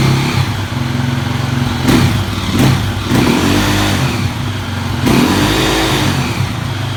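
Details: KTM EXC single-cylinder dirt bike idling with a few sharp throttle blips. An odd mechanical clatter sits under the exhaust note. The owner asks what could be defective, and the cause is unclear. Abnormal engine noise.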